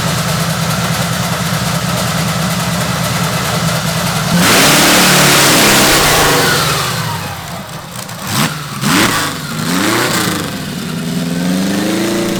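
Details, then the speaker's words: Custom V8 of eight Tillotson 212cc engines on a 900 lb go-kart: idle much better and steady, but revs sag and cut up under throttle; more jetting planned. "So that idles a lot better, but it's still cutting up."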